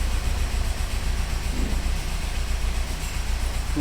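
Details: Maruti Suzuki Ritz petrol engine running with a loud, uneven knock several per second over a low rumble; cause suspected, not confirmed; engine knocking.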